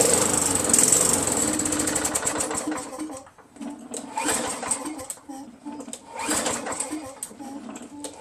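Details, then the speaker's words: Craftsman 5.5 hp Tecumseh 21-inch push mower that only runs on prime, 15 minutes after Mechanic in a Bottle additive: fires on prime, buzzes about three seconds, then sputters out; carburetor jammed with gunk and varnish. "I mean, look, the carburetor's jammed with gunk and gel and varnish, whatever."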